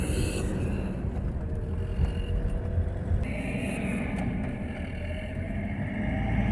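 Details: 2007 Toyota Hilux 2KD diesel after a timing belt and alternator belt change, driving: under road noise a thin high whistle rises with throttle around 2000 rpm, intermittent and first suspected at the intake; cause is a leaking turbo outlet gasket.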